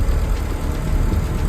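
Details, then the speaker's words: Turbo Honda Integra after an 1800-mile road trip, idling: lumpy, skipping low beat instead of a smooth drone as cylinder 1 misfires badly; new distributor and NGK wires helped but didn't cure it, traced to faulty fuel injector. "So cylinder 1 had a pretty big misfire, and I have not yet determined what the cause was."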